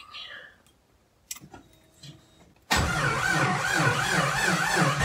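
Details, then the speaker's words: 1991 Jeep Wrangler YJ 4.0 first start after sitting six months: quiet cranking, then rough, lumpy, wavering running about three pulses a second, exhaust cut off; oil pressure present. "that wasn't really a win that sounded awful"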